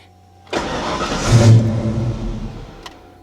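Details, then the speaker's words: 1989 Ford Mustang Foxbody V8 5-speed, brand-new engine, controller set to position five anti-theft mode, which should prevent running: engine catches with a sudden burst, revs briefly, fades within two seconds; starts then stalls, raw fuel smell after. "there we go yeah it starts but it immediately dies uh-oh well I thought anti- theft mode was supposed to make it not run at all"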